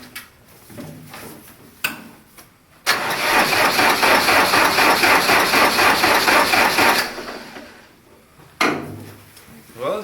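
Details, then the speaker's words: Diesel cranking on a cold single-digit morning after Kat's heaters brought the oil pan to about 50°F, before glow plugs are used: brisk, even starter cranking at about four beats a second with no dragging or slowing, turning over much easier than the previous day; normal cold cranking. "can see there cranks a lot easier for uh still being single digits out here you know yesterday versus today"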